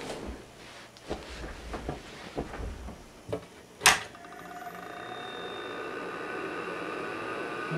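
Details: 1982 IBM 5150 PC with 10 MB IMI hard disk, WD MFM controller, upgraded power supply, NEC V20 CPU, after cleaning and reassembly: handling clunks, sharp power-switch snap, steady rising fan and drive hum; normal startup, blinking cursor.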